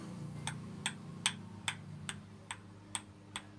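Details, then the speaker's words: Worn crankshaft on the bench, no engine running: crisp ticks about every 0.4 seconds as the crank is rocked by hand, revealing excess side play. "इस प्रकार से है कि देख सकते हैं इसमें आवाज आ रही है"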